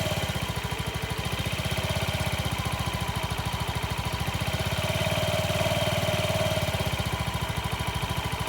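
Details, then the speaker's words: Honda Ruckus single-cylinder scooter idling after new fuel pump install and idle lowered; steady even putter, no misses or hunting; normal idle, possibly still slightly high. "I was able to lower the idle. It's actually sounding a lot better."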